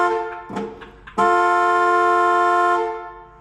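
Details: 1970 Dodge Challenger slant six, rat-infested and parked for years: after a few faint knocks, a loud, steady horn note blasts for about a second and a half and dies away with no one pressing it. The horn circuit is sounding on its own.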